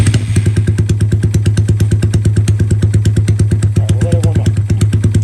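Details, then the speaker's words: Honda Grom SF fitted with an engine from an original Grom with a different injector and cam: quick thumping idle about three beats a second, slightly high and uneven; owner thinks the self-tuning ECU still needs time to adapt. "when you let off it's still kind of idling a little high but we think with got a different injector in a cam in it so the fim brro needs time to to actually tune it cuz it self Tunes"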